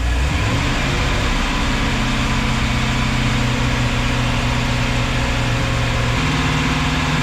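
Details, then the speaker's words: Volvo Penta 5.7 marine V8 in a 2004 Chris Craft 33 Express Cruiser, after a serpentine belt was fitted despite a broken tensioner adjustment square. A steady low drone at even speed with no knocks, slipping or squeal. Normal idle. "and we're finally ready to get back on the water after several weeks of trying to get everything ready so we're going back out so we have the engines running"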